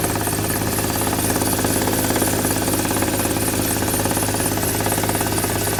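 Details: Used Hyundai just started, before any oil additives: fast, regular rattling knock over the idle.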